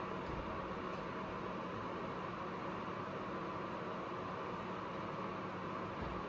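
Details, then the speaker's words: APC UPS after load cut to half, 600 W: overload cleared and continuous overload alarm beep stopped; only quiet steady fan hiss, running normally. "Load आधा कर दिया है, 600 वाट। Overload ख़त्म हो गया। Beep भी ख़त्म हो गया।"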